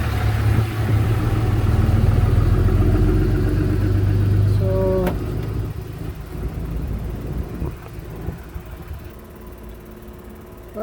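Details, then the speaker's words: 2004 Sprinter/Freightliner 2.7L diesel after fixing a leaking high pressure fuel pump: even idle beat about four pulses a second, no misses, knocks or hiss; no leak seen, though a leak is mentioned afterward. "[Music] so you can hear the palm pumping through it I don't see any Leaf where it was before"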